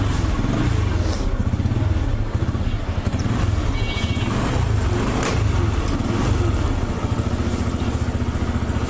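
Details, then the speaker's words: TVS Apache RTR 2V motorcycle idling after engine repair for a bad internal engine noise: smooth even single-cylinder thump, no clatter or knock; previous sound hopefully gone, normal idle. "আশা করা যায় সেই আগের বাজে সাউন্ডটা আর গাড়িটাতে নাই। গাড়িটা আবারও ইঞ্জিনটি সম্পূর্ণ ঠিক হয়ে গিয়েছে।"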